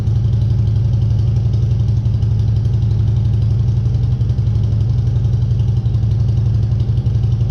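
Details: 2014 Harley Street Glide 103" after vehicle speed sensor (P0503) replacement and starter reinstall, no stored codes: even, lumpy low thump at about four beats a second with no ticking or knocking; healthy V-twin idle.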